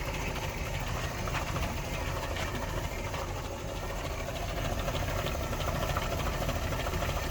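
Rough, uneven engine beat around idle with pulses that stumble now and then instead of keeping a steady rhythm, pointing to an intermittent misfire.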